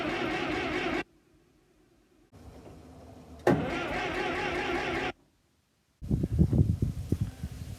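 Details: TD9 crawler in cold weather, cranked with ether after fresh non-ethanol fuel. Spark is checked as strong and the carburetor has never been off. Repeated one-second bursts of starter cranking with pauses, and it never catches. Cranks, no start; it had started readily when warmer.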